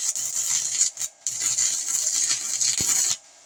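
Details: 120V handheld stick welder, taken apart and modified, powered by a 2500 W ALLPOWERS power station while welding on a bolt, Hobart 6011 1/16-inch rod, cooling fan running: crisp, steady frying crackle for a few seconds with one short break, a normal arc.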